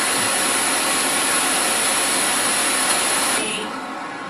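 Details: 2015 Toyota Corolla LE with aftermarket LED headlamps; portable radio on the car roof: with the LEDs on, a loud steady hiss swamps the station, then thins near the end; RF interference from the LED headlights.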